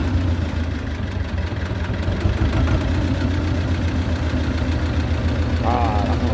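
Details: Belarus 250 tractor, 2-cylinder air-cooled diesel, sat for years; low idle after cleaning debris from lift pump poppets, even chug holding steady without sagging; normal diesel idle after repair.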